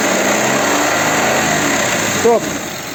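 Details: Audi Q7 3.6 FSI VR6, warm at 88 °C, after repair work: quiet, even running with only a steady exhaust hiss from a leaking muffler, no rattle or clatter as revs rise; timing drive sounds normal.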